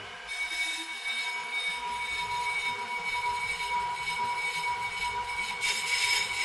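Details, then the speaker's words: PRO-CUT on-car brake lathe, motor running, cutters fed midway into rotor then depth knobs turned until rear and outer cutter bits lightly touch rotor surface to set zero point; even motor whir with thin high metallic singing. "I'm going to turn on the motor and then rotate the cutter def knobs just until you hear the cutters lightly touch the surface of the road"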